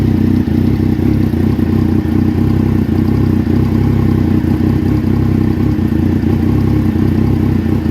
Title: Rough idle 1